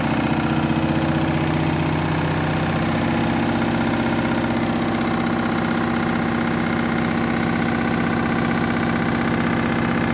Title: Candy Washing Machine Final Spin half load Synthetics Very Noisy